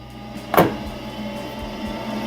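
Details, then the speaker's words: LG 8kg/5kg inverter washer-dryer combo, in test mode after repair of water-damaged controls, checking the dryer blower and heater: a single clunk, then a quiet, steady hum with no rubbing or rattling; the blower motor works normally. "Also now we can check here dry, heater, also blower motor. You can hear the noise. Blower motor, it's working, start to work."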